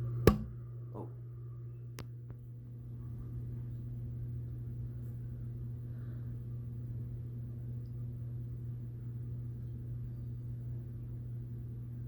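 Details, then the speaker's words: 52-inch CEC (Commander Electric Corp) Hugger ceiling fan on low speed; the bearings were oiled and no longer grind. A quiet, steady hum with a constant whir; whirring noise. "As you can hear, it already has like a whirring sound."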